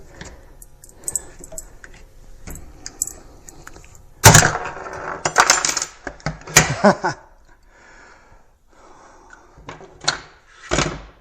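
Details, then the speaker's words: 3D-printed brake-press mold bending pinball wireform under clamp pressure: quiet creaks build to sharp crackling, then a loud snap and crunch as the mold splits along a print layer, blamed on print orientation. "Ooh, I hear some plastic crackling. Whoa, something sounds like it's about to bust apart."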